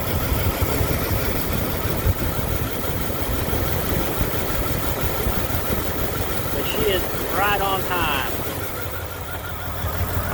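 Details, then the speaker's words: 1998 Dodge Durango single-cam V8, not yet warmed up, idling after timing chain replacement for a P0300 multi-cylinder misfire. The idle is even, steady and low, with no misses, ticks or knocks. "going to call that a good fix I'm going to test drive it here in a few minutes and let it warm up"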